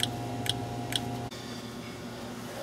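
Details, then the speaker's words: 2005 Chevy Express van, no start with no fuel pump operation and an intermittent dash cluster. Sharp relay-like ticks about twice a second over a faint hum come from the ABS unit under the van and stop when it is unplugged. "I hear the clicking and it seems to be clicking in the ABS unit so if I unplug the ABS unit the clicking goes away which I thought was odd"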